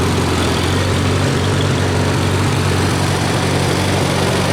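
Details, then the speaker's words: Farmall A tractor with dual exhaust, still smoking, one cylinder at about 65 compression against an expected 90–100: low, throbbing idle with an uneven beat that skips in and out; intermittent misfire, suspected from that low cylinder. "I think that that cylinder that's probably 65 is skipping a beat. Uh at times you can hear it kind of come in and come out, but uh it is what it is, right?"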